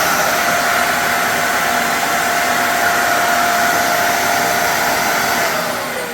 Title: Does your Dyson vacuum make a whistling or howling noise when turning it off? Easy Fix.